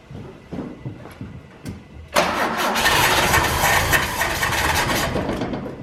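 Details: 1968 BMW 1602 after 10+ years of sitting, choke on, spray going into the carburetor, which smells of stabilizer. Steady fast cranking with a dull even churn that never fires; the coil seems fine, cause unknown. Crank no start.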